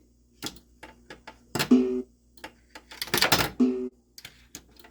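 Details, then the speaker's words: South Park pinball machine in switch test after the old subway switch was jumpered to the new one: clicks and clacks, then two low chime dongs about two seconds apart as the ball closes it; switch now registers. "can you hear it donning that should dong twice see did you see that yeah two dongs"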